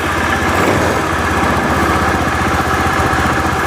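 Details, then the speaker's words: Honda Vario 110 FI scooter that stalled after 1–2 km, after fixing a nearly broken pulser (crank sensor) wire causing intermittent injector spray: steady, even idle with no misses, surges or dying; running stable while idle air is adjusted. "Sekarang varionya sudah hidup, sudah lebih stabil. Tanpa ada story ya, nggak ada kedupan."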